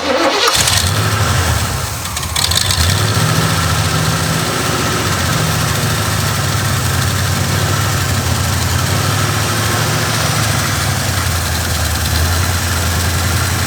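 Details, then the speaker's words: Oldsmobile Cutlass with carbureted Quadrajet Rocket 350 V8: starts and settles into a steady, slightly lumpy idle with faint hiss; a vacuum leak remains; engine otherwise sounds solid. "that that's a man you got a lot of leaks here that was uh that was blocking that off completely but we're still we still got a vacuum so we need to figure out some way to cap this off"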